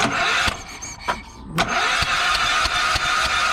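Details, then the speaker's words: Yamaha EF4000DE generator, spark plug out, finger over plug hole: electric starter spins the engine in sharp puffs about three a second; only a little compression. "All right, well, it sounds like it's got a little compression."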